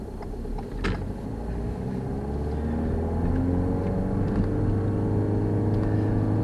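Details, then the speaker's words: Car at about 20 mph held in first gear at about 3250 rpm (idle is about 750): the engine note climbs, then holds high and busy while road speed stays low; over-revving in too low a gear, which burns a lot of fuel. "you can see that in first gear i'm having to do 300 3250 revs a minute to achieve that you can hear the engine noises high so both of those the noise and the rev counter is telling me that i'm using a lot of fuel"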